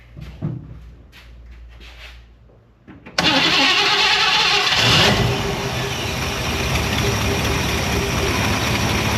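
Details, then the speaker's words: Hot rod with Edelbrock carburetor, after fitting a heat insulator plate against fuel boiling and hard hot starts: brief crank, then the engine catches at once and settles into an even, steady idle; a clean normal start. "[Musica] è così che inizia normalmente"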